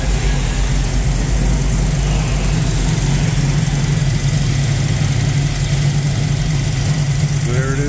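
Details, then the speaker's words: 1974 Ford Bronco V8 after engine swap, with MSD ignition; even, steady idle with faint rapid injector pulsing audible at the back; normal idle. "running you can hear the injectors pulsing in the back there"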